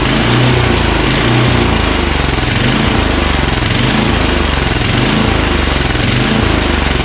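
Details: Craftsman 29" snowblower with 9HP Tecumseh engine running loud with uneven rising-and-falling beat under a second apart: surging at idle, suspected fuel delivery, fuel solenoid or carburetor needing cleaning; cause not yet found.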